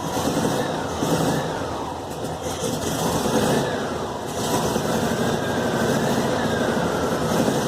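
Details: VW Fusca air-cooled engine after tightening a loose cylinder head bolt: even thrum rising and falling smoothly with throttle blips, the earlier exhaust-like roar is gone.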